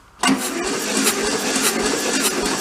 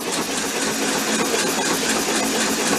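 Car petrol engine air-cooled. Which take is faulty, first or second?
first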